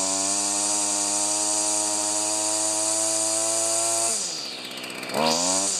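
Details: Stihl FS45 two-stroke string trimmer, bought used and repaired after not running, started with one pull on choke then off choke: high, steady buzz dips as the throttle drops, then climbs cleanly again; running healthy.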